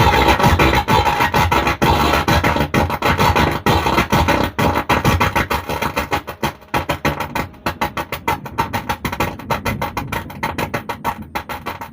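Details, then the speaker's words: STRANGER PBT 800 amplifier playing music: rough, gritty sound with a harsh edge on every beat; fault traced to the driver board. "দেখছেন বন্ধুরা, অ্যাম্পলিফায়ারটিতে একই রকম আওয়াজ আছে। তাহলে এর এই যে ড্রাইভার বোর্ড আছে, এই ড্রাইভার বোর্ড থেকে প্রবলেম আছে।"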